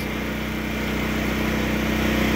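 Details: Predator 8750 gasoline generator in enclosure shed, over 2 years after install, full tank, exhaust fan running, just started: steady even engine drone with smooth hum, no knocks or surging; running normally, shed reduces noise somewhat.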